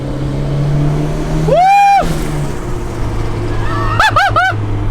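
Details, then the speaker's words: Honda Civic with untuned $800 eBay turbo kit, first startup, blow-off valve not hooked up; quick run of fluttering chirps as throttle closes after light revving. Turbo flutter (compressor surge, no blow-off valve). "and then you heard the turbo flutter ah I definitely want to use the blow-off just because these EBA turbos they don't do well with turbo flutter at all"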